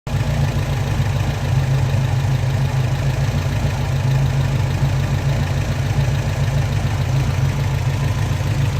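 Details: 1974 Alfa Romeo 2000 on Weber carburettors: deep, uneven chuffing idle that stumbles instead of running smooth; drives OK, but the carbs sometimes spit at 2500 rpm.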